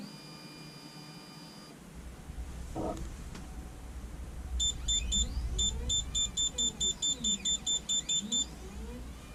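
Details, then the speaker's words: Anycubic Photon Zero resin printer after flipping the leadscrew nut: smooth stepper hum as Z-axis travels up and down, no squeal even when pushed, printer beeps; finding: normal quiet Z-axis travel after fix. "Back up. And back down. Even pushing on it, it doesn't squeal anymore."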